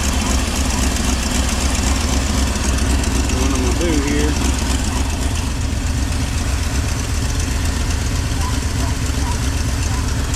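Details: 2000 Chevy/GMC 2500 with 5.7 Vortec V8 at idle: loud, lumpy idle with an uneven beat around four per second that never settles; distributor set off, ignition timing wrong, adjusted using CMP reading on scan tool.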